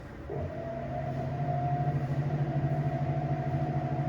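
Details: Black+Decker BPW30MW 3 cu ft portable washer, about two years old, after fixing thumping via clutch assembly and belt: smooth spin-up, steady motor hum and whir with soft even pulse, no thumping.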